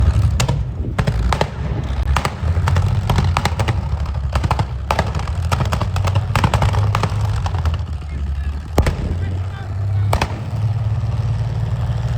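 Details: Tiger II (King Tiger) tank driving: deep heavy engine rumble broken by irregular sharp pops and cracks, the engine misfiring.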